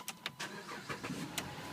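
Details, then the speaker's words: 2008 Dodge Charger SXT that was slow to start (3 to 10 seconds, worsening), after replacing the starter relay in fuse box slot: short crank under a second, catches and settles straight into idle; normal quick start, relay was the fault. "yep so it was the start of relay guess that's the problem if you're having this issue"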